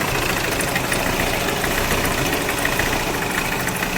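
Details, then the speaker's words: Hyundai Creta diesel after an outside engine job and a timing tensioner replacement, knocking again after about 300 km with white smoke: harsh clattering knock over a rough idle; jumped timing and a bent connecting rod. "तो वापस से इन्होने दिखाई तो उन्होंने एक timing टेसना डाला इसके अंदर और गाड़ी फिर चली दो 300 किलोमीटर फिर से यही समस्या आने लगी इंजन में से कड़कड़ साउंड आने लगा"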